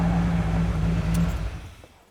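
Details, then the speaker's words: 1988 Centurion Bronco V8 after a cam, lifter and timing set replacement, 20 minutes into break-in and brought down from 2000–2500 rpm to idle: a low, steady burble with an even beat and no ticking or knocking; normal idle. "okay we are 20 minutes in right now going to gradually come out of 2 to 25 and get a little bit lower and lower there's 14 there's idle all right I'm going to call that"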